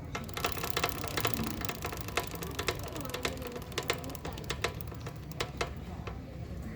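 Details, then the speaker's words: Motorcycle rolling in neutral or at 20–30 km/h: sharp metallic "taca taca" clicks about twice a second. Chain, rear sprocket and wheel alignment are fine; cause is a worn front (output) sprocket retainer. "E é especialmente alto quando a motocicleta está em ponto morto ou em baixa velocidade, de 20 a 30 km/h. O problema está na trava da engrenagem de saída."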